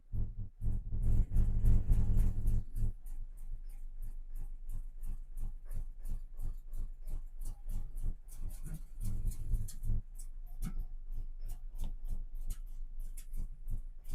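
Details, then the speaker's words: 2000 GMC 1500 parked 4 years, rodent-chewed wiring, first start after reconnecting mass airflow sensor: uneven, lumpy idle with irregular thumps about three per second, misfiring; owner suspects gummy fuel injectors, starting to improve. "Well, it's running, but it's not running very good. It's starting to do a little better."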